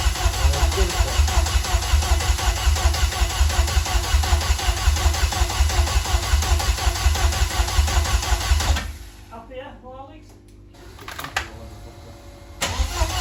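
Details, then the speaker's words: Vauxhall Corsa rear C20LET engine, freshly rebuilt, first start in months: lumpy uneven running with irregular pops and backfiring, then dies; misfire traced to one plug lead fitted wrong. "right we're going to swap plugs because it sounds like it's missing on a cylinder or it's backfiring a bit"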